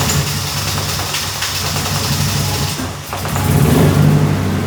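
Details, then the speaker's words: 30-year-old Nissan 240SX that sat almost a year, started after a slow crank. The idle is uneven, stumbling and lumpy, with the engine visibly shaking. It is misfiring badly but stays idling without throttle. "See how much the engine is wobbling though? It's misfiring really bad. You can see it and you can hear it, but it is it is idling."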